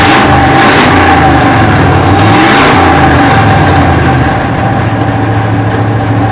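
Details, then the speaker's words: 1968 Chevy C10 V8 just revived after sitting 15–16 years on old fuel: strong, even blips rising and settling back to a smooth idle, no misses or knocks; good oil pressure, healthy revving, maybe needs a touch of tuning. "well she's a runner sounds pretty healthy maybe needs a touch of tuning still"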